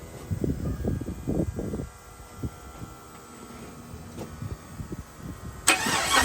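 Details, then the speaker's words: 1979 Chevrolet C-10 with first-time 5.3 LS swap, fuel pump relay wired wrong so bypassed: uneven stuttering crank, long gap, then catches and flares up, making some noise; hard start from low fuel pressure. "Well, it's making a little bit of noise. Sounds like we got a bit of an issue here."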